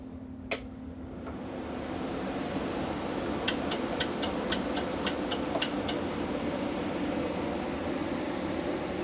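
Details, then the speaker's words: With the lid on: even, steady cooling fan whir with a low hum and light ticks. The fans sound healthy but still too loud, and a noise-cancellation box is planned to cut the noise by half to two thirds. "even quieter with the lid on but still this is too loud I guarantee you I can cut this by half if not two thirds"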